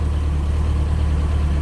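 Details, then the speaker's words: 50hp Yamaha 4-stroke outboard on a Key West 1720 boat, on a garden-hose water supply, after fixing mixed-up spark plug wires: low, even idle hum with no misses; normal idle. "there we go that thing's running perfect that's what it was we just had some spark plug wires that were mixed up it is just running just as smooth as it can"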